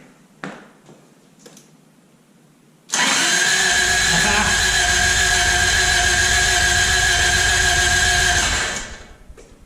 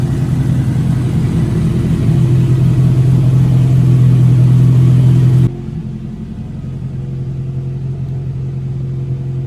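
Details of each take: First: 1986 Toyota Corolla AE86, parked since 2010, with a freshly charged battery fitted: about six seconds of steady starter whirring at constant speed that never fires; it cranks but won't start. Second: 1986 Toyota Corolla AE86, parked since 2010, running after its spark plugs were cleaned, coolant temperature coming up: smooth, steady idle, a little high, with no knocks or misses; runs good.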